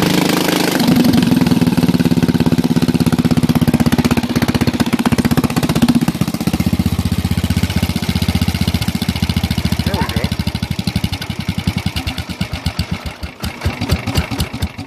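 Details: Bolens lawn tractor single-cylinder engine, run with muffler removed after sitting about a year and a half: loud open-exhaust bark at about four pops a second, uneven and raspy, tapering as it slows; rough running, cause unknown.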